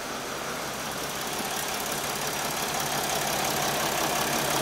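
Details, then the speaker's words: Mercedes Sprinter 3.0L diesel after replacing the cylinder 1 fuel injector for misfire codes P0301 and P16C200: steady even idle clatter with no stumble, miss or shake; engine now smooth, misfire fixed. "this sounds better the engine is really smooth it's no longer shaking this is awesome this is fixed guys the engine sounds a lot better it's smooth it's no longer misfiring"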